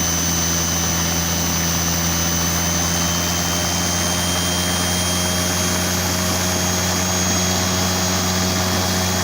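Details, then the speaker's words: Salvaged washing machine commutator motor on variable voltage, drawing about 1 amp and rising: loud, steady high-pitched whir like an aeroplane, constant tone, no grinding or rattle; runs smoothly at high speed. "very windy now sounds like an aeroplane going off now cry loud"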